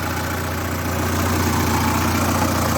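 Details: VAZ 2106 (Zhiguli) after its knock was fixed, coolant just over 90°C, oil pressure gauge not reading, no leaks: low, steady idle with an even beat and no knock or tick; sounds healthy.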